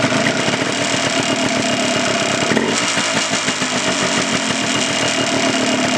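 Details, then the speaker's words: 1989 Yamaha Blaster 200 two-stroke ATV running after sitting 15 years: slow, uneven burbling idle struggling to stay lit; mixture adjuster has little effect, idle speed too low. "Not getting much out of the mixture adjuster. It's I can feel it or hear it make an effect, but it's just not idled up enough."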